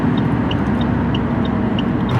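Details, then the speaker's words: 2007 Saab 9-3 2.0L turbo under floored acceleration: rough, uneven engine rumble with a light cabin tick about three a second as the Tech 2 scanner shows cylinder 2 misfiring badly and the check engine light flashes. "Now, it's misfiring badly. So, as you see cylinder cylinder number two is misfiring very badly."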